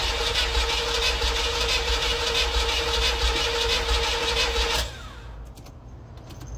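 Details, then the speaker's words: Chevrolet Camaro started after about two weeks sitting: engine fires and runs roughly at a fast, uneven beat, then the sound drops off sharply; reluctant start until given enough fuel. "No pues ni tan mal después de estar como dos semanas así sin encenderse Bueno ya habéis visto que al principio pues le ha costado pero una vez que ya le hemos dado bien para que tuviese bien de comida ya ya está ya arrancado"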